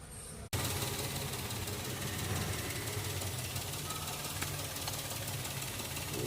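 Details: Maruti Celerio CNG/petrol engine starts and runs rough: cylinder 3 misfire code, MIL blinking, no pickup, only 2500 rpm at full throttle. Ignitor (ignition module) found faulty with corrosion inside, cutting spark.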